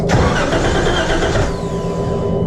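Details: Wrecked 2012 Jeep Wrangler, first start attempt in rebuild, clutch in: steady starter cranking with no catch or rise in revs, engine never fires; later ran on starting fluid, pointing to a fuel delivery problem.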